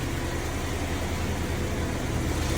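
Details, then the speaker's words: 1991 BMW E30 318is M42, about 200,000 miles, after M44-style timing chain guide retrofit for previous ticking: smooth, even idle with steady low hum, no rattle or tapping, no leaks, cooling fine; normal idle. "There are no leaks. It's cooling just fine. And it runs great."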